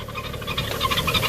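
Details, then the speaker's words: 2011 BMW 335i E90, N55 engine, 57,000 miles, parked with a cold engine, before the belt and pulley replacement: a fast chirping rattle repeating several times a second at idle from a worn belt tensioner pulley. "I want you guys to hear the sound this is the sound when you pulley tensioner is gone"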